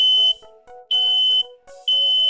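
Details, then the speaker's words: Smoke alarm sounding three loud high-pitched beeps in a row, the pattern meaning smoke; four beeps would mean carbon monoxide. "that's a smoke alarm if you hear four beeps in a row that's a carbon monoxide alarm"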